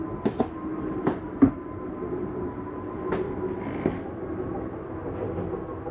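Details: 2024 Catalina 243RBS travel trailer slide-out being retracted for travel: steady motor drone with a faint even whine and a few light clunks as the slide moves in; normal retraction.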